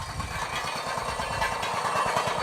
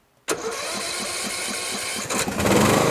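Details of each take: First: Poulan lawn tractor with a Briggs & Stratton engine, first run after sitting all winter. A quick low rattle of about seven to eight beats a second rides over the engine, coming from a loose inner plate in the muffler. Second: Briggs & Stratton-engined Poulan riding lawn tractor after replacing a muffler that rattled from a loose internal plate: brief crank, catches at once, steady even idle with no exhaust rattle; muffler fix successful, engine run briefly when cold-early.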